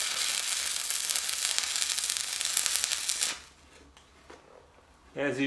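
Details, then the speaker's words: Fronius TransSteel 2200 stick welding an 1/8 in 7014 rod at about 107 amps: steady, unbroken crackling sizzle for about three seconds, then the arc breaks off; normal weld. "can see it does weld it um I'm not the best with these I actually just started using them yesterday"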